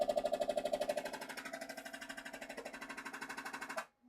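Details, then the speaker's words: Kingroon KLP1 CoreXY Klipper 3D printer on rails, during home-all: fast regular chattering ticks, about three per second; motion sounds chunky and notchy rather than smooth, front-to-back and Y moves suspected, cause unclear. "oh that is not smooth motion why are you being chunky I don't like that"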